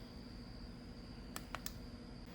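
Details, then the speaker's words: Aoycocr smart switch plug, plugged in with its capacitor fitted back inside the case: over a faint hum come three quick sharp relay clicks within half a second as the unit blinks; relay cycling from a failing power supply capacitor. "Alright, got it plugged in. Now before, it would show me an issue here. Right now it's blinking. I can hear it cycling, so"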